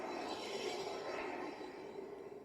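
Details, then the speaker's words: Jeep Wrangler YJ axle, wheel spun by hand after some light hammering: soft, even swish fading as it slows, no grinding or scraping. Normal light brake drag, spins easy. "That's fine. That's regular brake"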